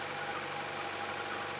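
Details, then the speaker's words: 2014 Chevy Cruze LT/RS listed with engine damage, idling: steady idle with a faint, intermittent high chirp first mistaken for a belt, traced to the coil cover; number 3 spark plug was loose, and tightening it stopped the noise. "First I thought it might be a belt that was squeaking, making a funny sound. I ended up isolating the noise to the cover that goes over the coils. Pulled the coil assembly out of there, and turns out that number 3 spark plug was just kind of sitting in there."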